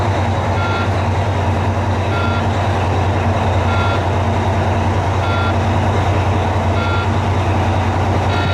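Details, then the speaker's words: Volvo VNL diesel truck in a cold, closed shop, running after the exhaust was fixed. It holds a deep, even idle rumble with no misses or knocks while a reversing beeper chirps; normal idle. "we'll crank this thing up see what it sounds like we've got the exhaust fixed on it"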